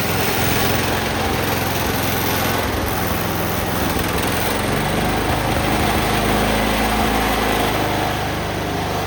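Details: Cub Cadet 1204 tractor after start-up, having just welded brackets: small single-cylinder engine runs steady and even with a light mechanical patter and no knocks or misses, sounding healthy.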